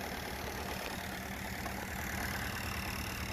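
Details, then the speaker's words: Fiat Panda 4x4 petrol engine after shock replacement: slightly uneven idle with a faint light tapping above the exhaust. Rough idle, cause unconfirmed; owner may check the spark plugs. "You can hear like a little tappy tap tap tap tap. Huh. Might check the spark plugs, see what's going on."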